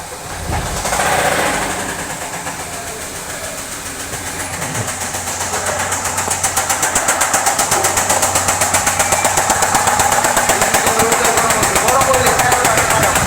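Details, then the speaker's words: Hyundai car engine: hard, evenly spaced knock about four per second, louder as it settles; teardown found the number two connecting rod bearing completely worn, causing the loud noise on start; rod knock. "মূলত সমস্যা আপনারা দেখতে পারছেন দুই number যে কানেক্টিংটা আছে সেটার ব্যাগেন একদম খেয়ে গেছে তো সমস্যা এটাই ছিল এর জন্য আমাদের গাড়ি স্টার্ট করলে প্রচন্ড সাউন্ড"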